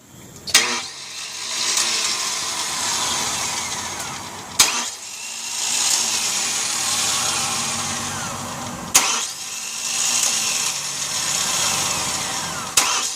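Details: 1998 Chevrolet Cavalier with fuel filter, starter motor and fuel pump reported working: a sharp click every four seconds, then a few seconds of steady cranking that fades without firing; cranks but won't start.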